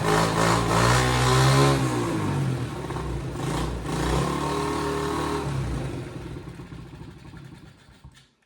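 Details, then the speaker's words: Chinese 50cc ATV, left outside for years, first start after a carburettor replacement, run off a battery pack: a buzz with a couple of blips, then the revs sag and it dies instead of settling into an idle. "right. She She's not idling."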